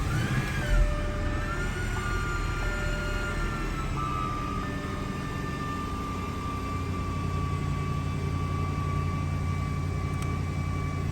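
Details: 2008 Jaguar XJ running with the battery warning light on. A steady high-pitched whine holds at one pitch over the engine; the original alternator has failed.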